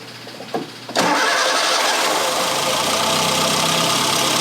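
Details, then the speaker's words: 1962 Austin-Healey Sprite after 10+ years' storage, after engine teardown fixing a bottom-end knock: given a quick pump, catches in about a second and settles into a steady, even idle with no bottom-end knock. "Give it a quick pump. And it should fire right up and roar to life."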